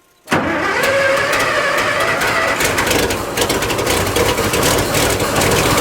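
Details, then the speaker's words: Barn-find fire truck that had not run in about 20 years: cranks and catches at once, smoke pours out the back, then it settles into a deep, even, throaty rumble with no misses or knocks; a healthy start. "I told you this engine would run that sounds good it's a deep throy engine"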